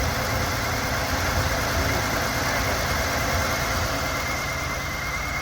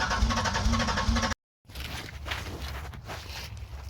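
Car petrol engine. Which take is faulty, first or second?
second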